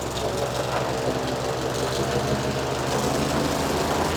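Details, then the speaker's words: Falcon four-stroke paramotor trike just fitted with a new NOCO lithium LiFePO4 battery, restarted after a gas tank flush: steady, even idle with a smooth fast beat, no misses or knocks; normal, healthy idle. "it's running good now sorry for the loud noise I'm going to crank it up a little bit"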